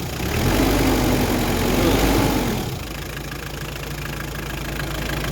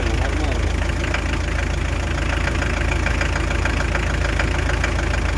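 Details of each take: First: Hyundai Terracan 2.5 diesel D4BH after the knock was fixed and reassembled: revs fall back to a smooth, even idle with no knock left. The engine runs as before, a normal diesel idle, not to be revved hard yet. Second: Hyundai Terracan 2.5 diesel D4BH, after head removal and refit with timing set to the marks and valves adjusted: sharp, steady knock about three times a second over the idle.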